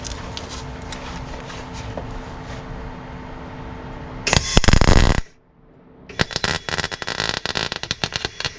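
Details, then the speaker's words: MIG welding Rover P6 inner wing with gas on and clean nozzle: uneven crackling and popping in short bursts, never a smooth sizzle; spattery weld the welder blames on old, poor metal. "Oh. See, it was all spatty. That's because this metal is old as shit."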